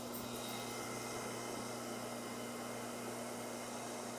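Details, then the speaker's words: Taco 1900 series circulator pump; the old one had a bent shaft, sounded rough and ran that way for two years. Quiet, steady, even low hum with no rattle; runs smooth and true. "you know it runs it's smooth you don't hear it you don't hear anything"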